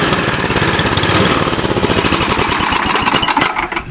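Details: Cub Cadet 1030E snowblower, 10 hp engine, carb stated to need cleaning: rapid popping beat that wavers and stumbles instead of holding steady; uneven running.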